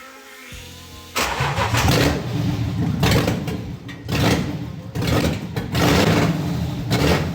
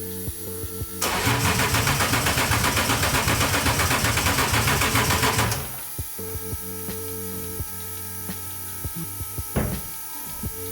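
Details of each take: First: Volvo 240 with a BMW M52 swap, first start with the DME grounded: it fires and runs very loud through an open exhaust, blipped in surges and catching cleanly each time, with a bad smell. Normal start and running. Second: Volvo 240 with a BMW M52 swap, start attempt after rewiring and adding an extra ground, with power to the relays, coils and EWS: starter turns about four times a second for some four seconds without firing. Crank no-start; spark unconfirmed.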